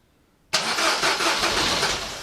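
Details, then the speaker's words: Peugeot 207 CC start attempt after a compression test; engine turns, owner unsure whether a valve is bent: fast starter cranking with a few uneven catches that never settle; nearly fires but won't start. "she nearly fired [Music]"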